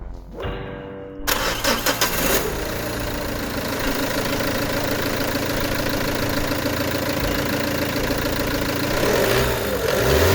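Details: Peugeot 307 2.0 HDi with codes P1112, P0204 and stalling, after TDC sensor and diesel filter replaced: quick crank, fires straight away, even idle, smooth light rev; no leaks, runs better.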